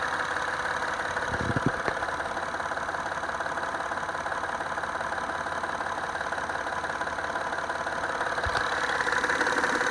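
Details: 2010 Acura TL idling with a loud, steady, fairly regular knock of about three beats a second from under the hood.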